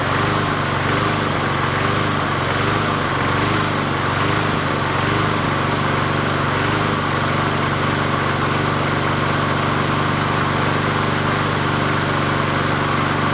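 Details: 20" Murray push mower #20201D after straightening its wobbling crankshaft and cleaning: an even single-cylinder drone holds steady speed with no knocks or surging, so it is running properly; the owner notes it could be low on gas.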